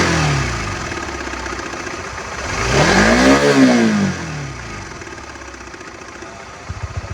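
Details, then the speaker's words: Honda CB150X, 3 years and over 63,000 km, original factory cam chain tensioner never serviced: engine revs up and falls back with harsh, coarse ticking clatter over the exhaust; engine sounds very rough, owner plans an engine overhaul. "Dan yang terakhir, mari kita dengarkan cek sound suara mesinnya yang udah kasar banget guys."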